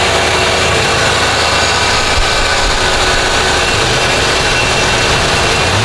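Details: Lincoln Town Car (OBD1) after replacing the idle air control valve for high idle, no code: engine ticks over at a steady, even speed, no surging or racing; idle back to about 800 rpm from roughly 2000 before.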